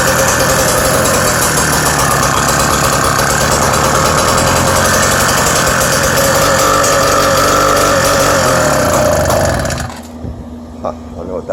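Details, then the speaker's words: Bullet Train BT-80 electric-start motorized bicycle engine with newly built custom exhaust, cold start (first run of the day); small single thumps evenly at about three and a half beats a second until shut off. Normal cold start and idle. "probably want to hear it run before I end the video uh this is a cold start too so I haven't even started it yet today"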